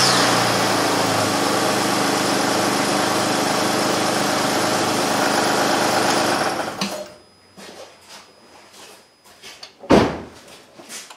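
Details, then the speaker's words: 2006 Honda Ridgeline 3.5L V6 at close to 300,000 miles, running after serpentine belt and tensioner replacement: steady, even running with no chirp, squeal or rattle; the choking noise from the bad tensioner pulley is gone. "so hopefully you could hear that it's quiet it was making a lot of choking noises before from the pulley being bad but now it's working well"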